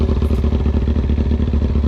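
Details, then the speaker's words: Kawasaki Ninja ZX6R after rebuild, warmed up during the test ride: loud, deep, evenly pulsing idle with no misses or stumbles; running smooth and healthy. "She runs like a bat out of hell. That's pretty awesome. Runs smooth, which is good. It's loud."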